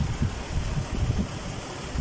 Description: Kia Mohave cylinder 5 misfire engine vibration. Rough idling